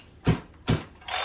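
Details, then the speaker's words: Broken-in chainsaw with lots of run time, slow hand pulls: firm sharp compression puff then release each pull, more than a new build; rings seated, healthy compression. "more of a it's a different sound okay so as you break in your saw you will get more compression the rings will file in and they'll seat"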